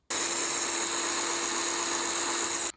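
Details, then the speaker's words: Pumpkin 11.5-inch cordless chainsaw, after adding chain lubricant: steady, even hum and chain hiss, no rattle or surge, quieter than before oiling; normal running. "เสียงมันก็จะนิ่มขึ้นแบบนี้นะครับผม"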